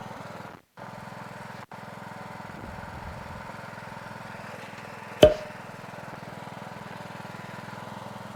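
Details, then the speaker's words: Craftsman LT1000 lawn tractor in very good condition, driving with the PTO and mower deck engaged: even, steady engine drone with one clunk partway through, no knocks or grinding; normal running. "PTO works. That's right. We bad. It's a really nice tractor. Very good condition."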